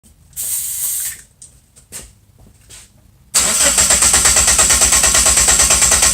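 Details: 1997 Geo Metro towed in for no start: a few short bursts, then steady starter churn at about three beats a second that never catches; engine cranks but won't fire.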